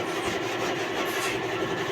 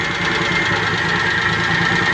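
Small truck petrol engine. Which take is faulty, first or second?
second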